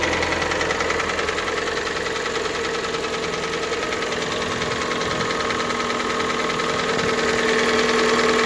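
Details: Hyundai G4NA engine at cold idle: light, regular tapping about three and a half per second over the engine; cold-start knock, cause unknown.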